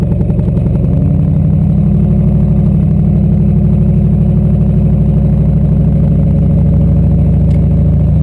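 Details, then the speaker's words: Turbo LQ4 V8-swapped Ford Ranger, no-start traced not to the MAP sensor but to a DTC code that had been disabled, now fixed: deep, steady V8 drone under light load with no misses or stumbles; runs cleanly. "So with any luck, I'm gonna get in and start this thing and it'll actually start and stay running, and then I'll be able to go drive it."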